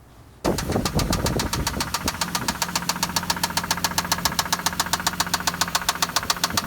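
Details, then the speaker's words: 1997 Toyota Land Cruiser FJ80 engine: sharp metallic knock about four per second that changes pitch to a bright cling; suspected sticking valve hitting a piston or wrist pin, unconfirmed; engine knock. "So you caught at the end of that video that the knock kind of changed, the pitch went cling, cling, cling, cling, cling, cling, okay? So what is it? It could be a valve issue. We could have a sticking valve that's maybe hitting a piston, or it could be a wrist pin."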